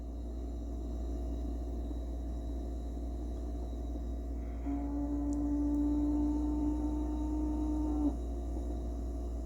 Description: geladeira Brastemp fazendo barulho estranho, mais pode ficar tranquilo que é normal. e o processo do gás refrigerante.